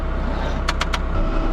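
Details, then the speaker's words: 1970 Jeep CJ5, long-sitting in weeds, jumped with cables from a tractor: three quick dry clicks about a tenth of a second apart over the tractor's running drone, no cranking; owner suspects a weak starter. Cause suspected, not confirmed. "That's all we're getting out of the starter. That's horrible. Just clicking."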